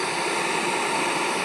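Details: Electric kettle after servicing with a replaced damaged part, refilled with a little water and switched on: steady, even rushing hiss of water coming to the boil, no buzzing or crackle; heating normally.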